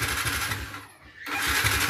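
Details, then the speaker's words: Motorcycle with homemade hidden anti-theft kill switch under the seat: switch turned on kills the running engine, then starter spins engine in fast even churn, drops out, cranks again without catching. Crank-no-start, ignition cut by kill switch. "Coba kalau kita on kan di sini, motornya mati ya. Kalau kita starter, kita starter lagi, dia tidak mau hidup lagi ya."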